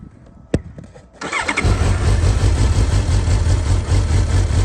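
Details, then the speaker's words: 2012 Suzuki GSR750 with Yoshimura carbon exhaust, 18,000 km, dropped with cosmetic damage: click, brief crank, clean catch into even throbbing idle; normal start and idle. "oh does sound really really nice beautiful bite cool"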